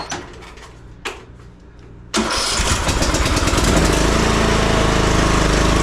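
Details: Craftsman mower, sat two years, after starter and carburettor replacement, on choke: a few slow cranking bumps, then it catches and settles into a steady even chugging run; normal start and run.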